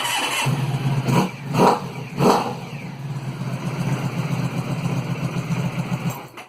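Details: Engine started after fuel pump power wire fix, broken loom wires rejoined and police loom removed; a few blips, then a steady, even low idle with no misses or knocks, running properly.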